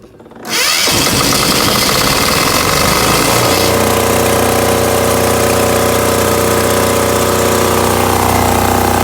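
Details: Tahoe 7000 LXH diesel generator that had power but would not start, starter relay unit found faulty (suspected bad connection at white cable): fires quickly, climbs to speed and settles into a loud, steady, even run with no misses.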